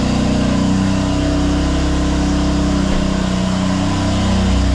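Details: 2020 BMW F82 M4 (S55) at cold idle: even low drone with a faint light rattle from the exhaust side, attributed to loose camshaft bolts. The rattle goes away when warm; the injector tick is normal. Awaiting repair.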